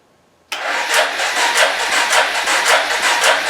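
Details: 2007 Arctic Cat 400 ATV, unused 1.5 years, carburetor cleaned, fresh fuel, rope-started with a weak battery: fires straight up into an uneven, rough-pulsing idle; owner reports it dies once warm.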